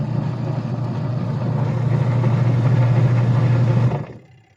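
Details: Sharp Gigawash 6 5kg washing machine after pulley replacement: a steady low hum runs evenly for about four seconds with no knocks or grinding, then winds down; the wash drive sounds healthy.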